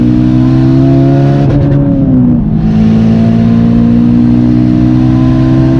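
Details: Warmed-up engine after a misfire fix with new one-step-colder BKR8EIX spark plugs and new ignition coils, full-throttle run: clean rising note pulling hard, quick dip at the gear change, then a steady climb, no stumble or popping.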